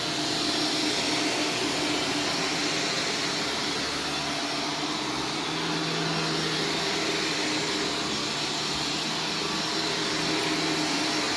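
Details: Vacuum on carpet mode picking up Arm & Hammer carpet freshener powder: strained hollow roar with wavering low note, choking; powder coating cyclone and clogging filter.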